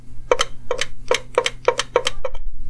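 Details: GM EVAP vent solenoid driven with a jumper wire while diagnosing P0455/P0449/P0446 codes: crisp, even clicks about three a second with quiet between them. The vent solenoid switches cleanly and works properly.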